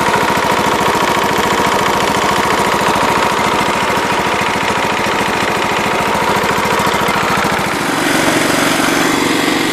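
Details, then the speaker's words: John Deere LT133 riding tractor single-cylinder engine after a carburetor rebuild kit fixed earlier bogging: a steady, even idle with a clean firing beat and no misses or surging; it runs like a top, normal idle. "it was definitely worth the $13 car bre kit cuz she runs like a top now"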